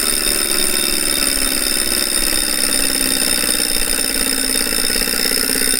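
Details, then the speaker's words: Refurbished replacement 2018 Wahoo Kickr trainer flywheel spun up with the mic beside it: a loud, steady whirring drone with a fast pulsing rasp, far louder than it should be. It doesn't vibrate or shake the bike, so it's probably not unbalanced; same noise the old unit made before its vibration issue. "that's actually not how it's supposed to sound it isn't supposed to make much noise this one doesn't make the bike resonate though so I'm actually not sure what to do about that it's not supposed to sound like that but it doesn't shake the bike so it's probably not unbalanced it's just loud"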